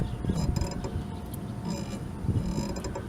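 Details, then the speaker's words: 1997 Buick LeSabre suspension worked by hand: creaky rubbing squeaks from a worn lower ball joint, which should be replaced. "now this right here is the lower ball joint if it makes a squeaking sound like this"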